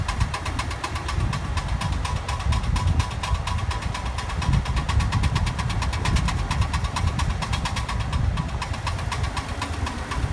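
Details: Car driving with sharp, regular clicks several times a second from the left driver's-side wheel area over engine and road rumble; a friend suspects a bad CV joint, not confirmed. Clicking noise from wheel area while driving.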